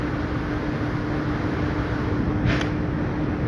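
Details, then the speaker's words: 5-ton R410A AC after new compressor fitted, drawing about 6.7–7 A at full load: steady low hum with constant mid tone under even fan rush, no knocks or rattles; compressor running normally. "দেখেন 6.7, অর্থাৎ 7 নিবে, totally 7 ampere নিবে ফুল লোডে গেলে।"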